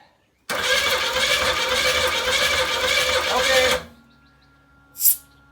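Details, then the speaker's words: Steady starter cranking during a compression test on a 1984 Pontiac Fiero. Readings were about 100, 90 and 60 PSI against a hoped-for 150. Low cranking compression on a weak cylinder. "about 90 on that one little bit light I'd like to see it more like I'd really like to see it at 150 but again it has some hit it okay that one's really low we got about 60 PSI on that one I don't like that at all"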